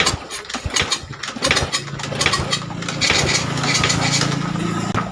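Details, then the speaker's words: Old Honda Supra motorcycle with low compression, valve gap already checked fine: uneven chuffing as it catches, then rough running with puffing blow-back; compression escaping past a leaking valve. "the sound is too rusty, friends. like that, we have noticed that the valve part is leaking."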